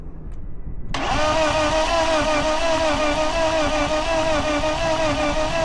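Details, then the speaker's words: BMW E36 project car dragged from a field after sitting, cranking with plugs out on a compression test reading only about 50 PSI; starter spins fast and evenly with light uniform pulses and little resistance, indicating low compression; plugs were dry, no fuel. "So, we know for certain it doesn't have fuel because the plugs weren't wet, but 50 PSI is not that much. What's going on with this thing?"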